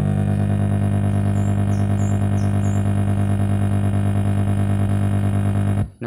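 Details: Polytron active speaker with USB MP3 player, input signal touched: a loud, gritty low buzz pulsing about three times a second, stuttering output from cracked solder joints.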